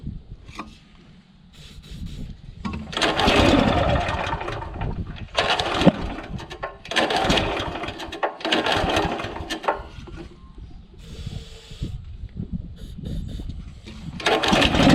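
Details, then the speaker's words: Honda GX340 petrol engine on an auger, on aerostart (won't pull-start): catches and runs strong in uneven bursts then dies straight away; engine starts then stalls, owner suspects low-oil sensor kicking the shutoff lever. "give it a bit of Arrow start fires up no worries but it dies straight away"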